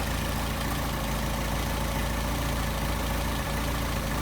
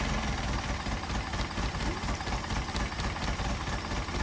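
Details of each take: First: Solex carburetors after idle screws lowered about half a turn and balanced: steady, even idle at about 700 rpm with no misses, knocks or hunting; smooth, balanced carburation, normal idle. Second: Engine with rebuilt twin Solex carburetors, warmed up with thermostat open, throttle linkage disconnected: slow lumpy low rumble with loose uneven beat; idle speed too low.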